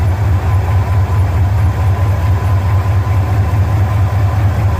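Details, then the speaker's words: 1974 Ford F250 carbureted engine after cleaning the starter solenoid terminals, restarted: steady, even low rumble with no misses; earlier smoking and failure to shut off, cause not confirmed. "so I did that let's see if it starts now and turns off hopefully"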